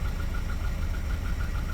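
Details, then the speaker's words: 1988 Volvo 240 after rebuild, warming up toward operating temperature: low, even rumble at about 700–800 rpm with no knocks or misses; smooth, healthy warm idle despite known piston slap. "That is idling nice and smooth. It's getting up to temp and we're at what's that 800 RPM? 700 800 RPM."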